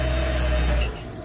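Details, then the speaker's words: 2009 Chevrolet Traverse idling smoothly and evenly with no missing beats after all spark plugs and the bad cylinder 6 coil were replaced; it had been misfiring and running terribly before. "it was running like terrible before it had a bad myth now she smoothed itself okay"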